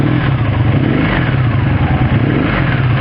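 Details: 1984 Honda V65 Sabre V4 motorcycle, 135 hp, redline 10,000: loud, strong roar holding high revs with no knocking or rattles, pulling cleanly; normal revving.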